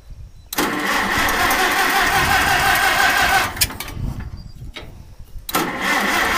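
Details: Old Farmall 450 tractor: repeated starter cranking bursts with pauses, engine churning but not catching; no-start, cause unclear.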